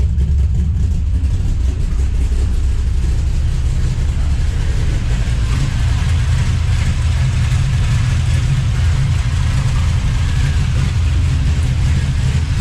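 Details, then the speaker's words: 5.3 LS-swapped S15 minitruck after fitting Summit Pro LS 8704 race camshaft without removing heads: deep lopey choppy idle, steady, slight clunk; big cam running as it should. "a little bit of clunk but still pretty good so pretty choppy and personal sounds good"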